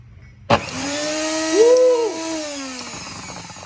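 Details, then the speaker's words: NutriBullet blender motor after repair, run on test: spins up with strong even hum and rushing air, holds steady pitch, winds down cleanly; motor runs healthy. "Woo, baby. Look at that. I fixed it, baby. Ooh, that blows a lot of air."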